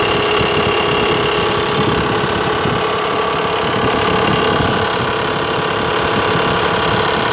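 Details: Mitsubishi Pajero 4 3.0 idling after sitting in the parking lot, with a light, somewhat uneven tapping knock about four per second over the engine hum; cause unclear.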